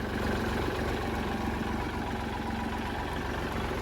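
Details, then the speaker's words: Kubota L3008 30 hp used tractor, hour meter showing 700-some hours, starts easily: steady low diesel clatter at idle, even beat around four per second, no knocks or misses; engine judged good, though a loose belt squeals and will be replaced. "อยากฟังเสียงเครื่องดูครับเสียงเครื่องดีครับผมโอเคก็ถือว่าผ่านนะครับตัวนี้"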